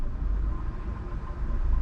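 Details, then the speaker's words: 2014 Nissan Sentra 1.8L in park after cleaning the throttle body and fitting an OEM mass airflow sensor (code P0101, idle had hunted 600–1000 rpm and stalled): deep, steady idle without dips or hunting; now normal idle. "because now I'm in park right now and this thing is idling like a baby before this thing wanted to die all day"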